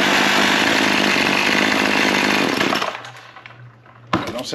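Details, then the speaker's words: Small two-stroke after repair, with the primer bulb now acting correctly: a crisp, even buzz holds steady a few seconds, then throttles down. It runs cleanly. "too bad I think she'll run too"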